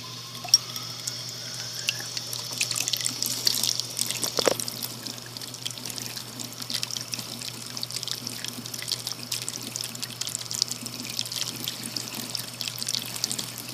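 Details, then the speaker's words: House cold-water tap running for comparison with the hot water, which has pressure problems: even, steady hiss of water with no sputtering, surging or air bursts. Cold flow sounds normal, though the toilet filling seems to have air bubbles. "this is a demonstration of what happens when we turn on the cold water in the house the other tap does not have a working cold water the cold water is not as bad as the hot water"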